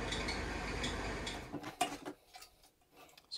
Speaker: so we'll start out I'll let you listen to the noise that the fan was making so this was the reason for the original call you can hear that there's some banging around going up in